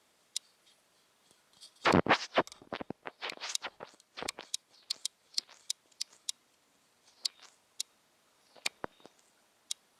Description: The clicking issue from the new sony nex-5n